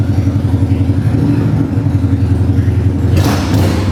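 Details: 1995 Harley-Davidson Bad Boy Evo V-twin, revived after carb and vacuum-leak work and years of neglect, started on choke: deep, lumpy, steady, even beat with no knocks. Normal idle.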